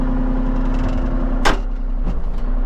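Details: Kubota KX033-4 excavator (2019, owner thinks), just after 1000-hour service, cold day around 45°F: steady even diesel idle, constant low rumble, no knocks, misses or hunting; normal idle.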